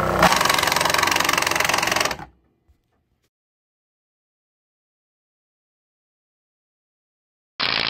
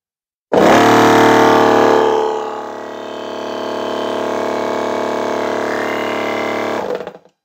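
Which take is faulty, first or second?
first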